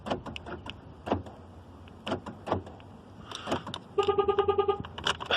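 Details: BA car with the key's transponder removed: crisp lock and unlock clunks a second apart, then a quick run of short chirps; central locking works normally with the key.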